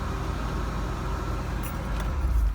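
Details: 1988 Ford Ranger 2.9L V6 just after starter solenoid replacement: low steady rumble with an even beat and no knocks or misses; it idles smoothly and sounds healthy.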